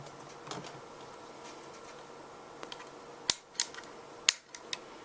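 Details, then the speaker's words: Epiphone Blues Custom amp with improvised footswitch under test: sharp, irregular dry clicks over quiet hiss as the channel/reverb switching relay pulls in and releases, chattering; reverb indicator bulb not yet seen lighting. Normal relay switching clicks. "can hear the relay chattering away but I cannot get I don't see the bulb lighting up on the reverb side yet"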